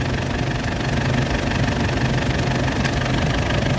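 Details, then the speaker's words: 2004 Ford Ranger diesel idling evenly with new AC compressor running and cycling on and off normally, fitted after leaking evaporator let oil and refrigerant escape; steady hum, no clutch chatter or rattle. "ตัวนี้จะเป็นตัวคอมแอร์ใหม่นะคะตอนนี้เขาทำงานค่ะพร้อมตัดนะคะคอมแอร์ตัดต่อปกตินะคะ"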